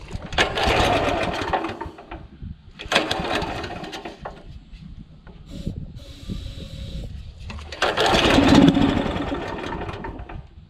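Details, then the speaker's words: Honda GX340 petrol engine on an auger, won't pull-start, fires with aerosol start: runs hard a second or two then cuts out abruptly, repeatedly; owner suspects the low-oil level sensor kicking the shutoff lever. "give it a bit of Arrow start fires up no worries but it dies straight away"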